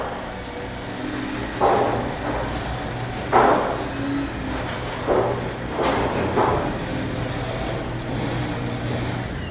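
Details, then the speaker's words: Garage door after replacing metal rollers and other fixes; low steady opener motor drone with a few soft roller bumps, no grating or screeching, much lower volume than before. Normal garage door operation. "So much better. I think you'll agree that sounds 100 times better, much less irritating, none of those annoying grating or screeching sounds, and our whole decibel level was way down."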